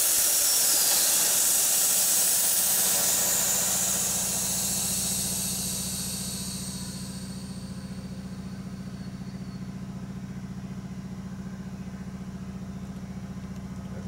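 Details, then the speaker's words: 1942 Harley WLC, inflating a newly mounted Coker tire on an 18-inch laced rim to 30 psi (target about 22): loud, steady high hiss for about five seconds fades to a low hum; air heard leaking, source unconfirmed. "yeah we need one about 22 pounds of pressure I went to 30 there"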